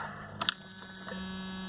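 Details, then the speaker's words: 1992 Jeep Cherokee 4.0 straight six with a crank-no-start, after new cap, rotor and plugs, at key-on: a couple of clicks, then a steady high-pitched electric whine holds evenly; the fuel pump primes normally, and the crankshaft position sensor is suspected. "Fuel pump primes. Hear it kicking on that one?"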